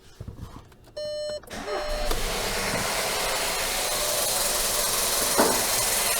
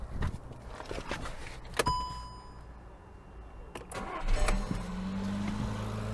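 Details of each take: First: Skoda Yeti 1.2 TSI turbo petrol chain engine, owner complains of terrible knocking and valve-cover rattle: chime, then engine fires into a loud, busy metallic clatter over idle; stretched timing chain suspected, high-pressure fuel pump also noted. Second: Skoda Yeti 1.2 TSI first full start after timing chain, tensioner shoe and oil pump chain replacement, oil pressure primed: few clicks, catches in about four seconds, light even idle, no heavy knock; runs much easier.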